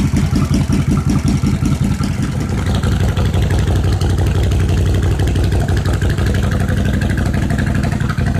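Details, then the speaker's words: 1986 Suzuki Intruder V-twin with new fuel pump, jury-rigged battery and charger, fuel poured into the float bowls: lumpy beat of about three pulses a second settles into a steady idle on both cylinders. "now what I've been doing is pouring fuel directly into the float bowls see if we can't get this thing to fire off cutter choke that's what I'm talking about"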